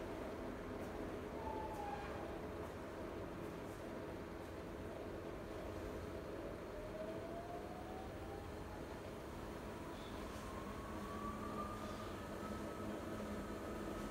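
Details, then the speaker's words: Siemens IQ300 washer (WG41A1X1TR, listed 9 kg/1000 rpm), early in the 13-minute spin program: smooth, steady rumble with motor tone climbing as the drum speeds up, no knocking or scraping. Rated 48 dB washing, 72 dB spinning. Normal spin-up. "Başlat tuşuna basaraktan sıkma işlemini başlatıyorum. Yeni nesil çamaşır makinesinde sıkma işlemi 13 dakika sürüyor arkadaşlar."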